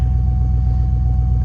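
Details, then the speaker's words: GM Vortec 5.3 V8, idling after a 5-minute diesel/kerosene oil flush and oil change for lifter tick: deep even idle, 0 misfires, no ticking, maybe slight tick on one side. Normal idle after fix. "And as you can tell, I don't hear any lifters ticking. Maybe a little bit on this side."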